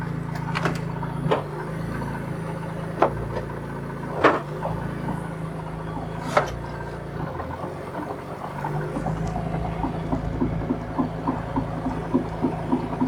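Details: 1967 Ford Anglia 105E with Mitsubishi Galant VR4 6A13TT engine, on axle stands, running: after a few loose clunks, quick regular light tapping over the engine from the front, heard most at passenger-side timing belt cover; cause unconfirmed.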